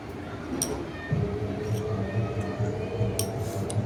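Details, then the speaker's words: IFB top-load washing machine that made a loud noise during spin, drum removed and run out of the machine: a steady low motor hum as the drum turns evenly, only a few light clinks, no knocking or grinding. The spin now runs normally. "अभी देख सकते हैं ये machine चल पड़ी है। अभी इसमें कोई आवाज नहीं आ रही है। बिल्कुल नॉर्मल ये मशीन चल रही है।"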